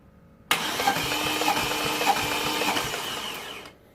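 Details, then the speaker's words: 2010 Vauxhall/Opel Astra H 1.6 petrol, cranking from driver window during compression test with engine fully timed: even, light, fast cranking about three beats a second, never firing; low compression, suspected jumped/snapped timing belt and bent valves. "okay slightly better on these last two but still nowhere near for this car to start so what kind of explanation can we give if we have the engine 100 timed and we have no compression"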